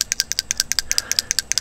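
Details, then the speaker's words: Hugo-X1 battery backup's directional water flow sensor on a Rinnai tankless heater, water flowing: sharp, high metallic ticks about ten per second as the internal clapper swings back and forth sensing flow, working normally. "like it's like a clapper in there that collapse they go back and forth to sense the water flow because if you can see in there you see you could see the clapper in there and again there's a direction"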